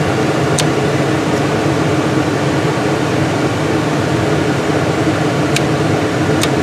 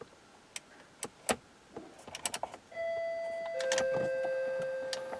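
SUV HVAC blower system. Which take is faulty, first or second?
second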